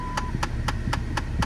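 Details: 2008 Dodge Avenger, engine running: sharp, even clicks about four times a second over low engine and fan hum from behind the glove box; failing HVAC blend door actuator, fixed by replacing it (part 68018109AA).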